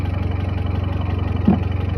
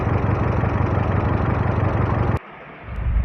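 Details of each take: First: Hyundai Creta petrol, after repair of misfire (P0300/P0301/P0302, cylinders 1 and 2): idle now steady and even with no stumbles; fault was a disconnected/missing ignition coil coupler on cylinders 1–2, repaired, earlier noise gone. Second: Hyundai Creta petrol with codes P0300, P0301 and P0302, a blinking check-engine light, jerking on acceleration and heavy engine vibration: rough, lumpy idle chug. All four cylinders are misfiring, cylinders 1 and 2 the most, with a coil connector not locking.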